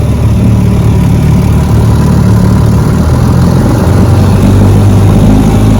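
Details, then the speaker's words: Fully restored 1958 Johnson 18 HP FD-12 two-stroke outboard, lake test: steady, even drone with constant low note, no misses or knocks; runs great, idles so low it needs the kill switch to stop. "and this one runs great it's a 10 plus you know these motors are 60 years old so sometimes you just can't make them run any better than they're going to run"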